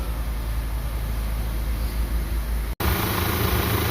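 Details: 2012 Audi Q5 2.0L that had long cranks or no start when hot, after a new low-side fuel pump replaced the old one making only 30-35 psi: steady, even low rumble at idle, no misses, ticks or hesitation. Idling smoothly.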